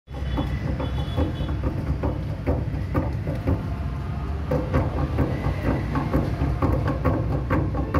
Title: Check Bearing Problem In Chicken machine Or Chicken Dressing Machine